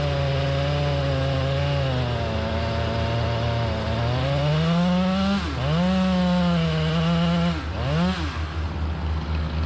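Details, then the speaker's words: Chainsaw with 28-inch full-comp bar cutting hard white oak; revs high and strong, pitch dipping and recovering under load; crank bearing failure. "i've done it i'll be again contamination or something all right god damn it locked up everything looks right"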